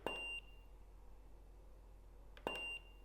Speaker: recycle time at 1: one is pretty impressive um I'm leaving the beeps on so you can hear it I hope you can hear it that's pretty fast recycle go down one